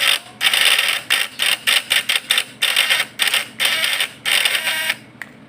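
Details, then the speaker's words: Points-type (platina) PS fish-shocker vibrator inverter during readjustment: harsh loud stop-start buzzing bursts; points now adjusted too strong, high-voltage unit hard to tune. "Dan ini terlalu kuat malahan. Pokoknya kita cari sampai ketemu."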